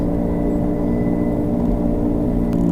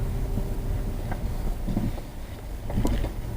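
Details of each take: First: 2007 Subaru Legacy, both front wheel bearings replaced the previous November: while driving, a steady droning hum under road noise that shifts when the wheel is jerked left, loading the inner half of the bearing; worn inner front wheel bearing. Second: 2007 Subaru Legacy test drive after replacing the front wheel bearing: tyre and road rumble build smoothly with speed with no growl or howl, so the bearing is quiet. A separate strange whistle remains, unrelated to the bearing.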